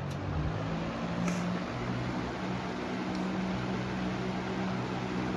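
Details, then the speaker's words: Box fan on low speed at about 0.61 A, 74 W, 0.97 power factor: soft steady hum with even airflow rush, no rattle or scrape, though it shakes somewhat; normal running on low speed. "And then here's low. It's shaking for some reason. which is 61 amps, 74 watts, and it's 0.97 power factor."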